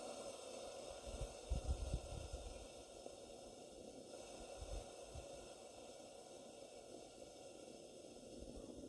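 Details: Barn-find English-made Coleman 237 kerosene pressure lantern on original kerosene, pumped up again: quiet, even hiss with a few early handling bumps, no sputtering or surging; burner running steadily.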